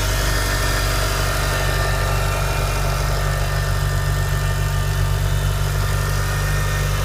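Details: Mitsubishi Evo IX cold start: steady, even cold idle with a deep low rumble and no tapping or ticking, unlike the ticking this engine makes when hot; sounds healthy.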